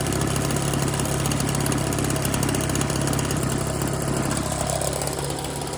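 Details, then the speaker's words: Husqvarna 130BT leaf blower two-stroke with aftermarket carburetor, no blower tubes or air filter fitted; steady even buzz at constant speed with no misses, reaching full RPM unlike the earlier lean, bogging carb. Normal running. "Like it wouldn't get to full throttle, full RPM. Which this one is. We'll try it again. But it seems to be running pretty good."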